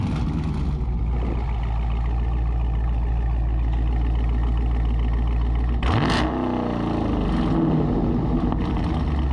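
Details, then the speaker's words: Hemi V8 with automatic transmission, warm start: deep even idle burble, then quick blips that sweep up and drop back cleanly, cut short by the automatic's low rev limiter at perhaps about 4,000 rpm. Healthy engine. "keep in mind folks that's still with the rev limiter you know the deal these automatics got a real low rev limiter when it comes to uh to revving out"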